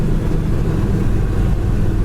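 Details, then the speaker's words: 1966 Chevrolet Chevelle Malibu with manual clutch and dual exhaust: deep, even V8 burble with a steady low rumble, no knocks or misses, great throttle response; healthy V8 exhaust note. "It's got great throttle response. Really nice sounding dual exhaust as well."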